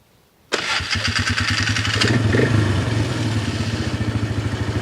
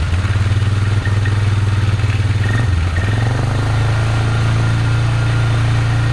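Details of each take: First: Polaris Magnum 325 single-cylinder ATV, after the fix for lean fuel starvation, thought to be air drawn around a filter missing its lock ring and cured by the correct air filter and airbox lid. Starts first crank into a steady, even idle with no popping or misses. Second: Polaris Magnum 325 single-cylinder ATV, carb soaked, idling with a low thump but stumbling and dipping around three and eight seconds; lean fuel starvation and backfiring from unfiltered air bypassing the loose, open airbox, not the carb or fuel pump.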